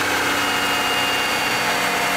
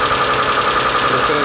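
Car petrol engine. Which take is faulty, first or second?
second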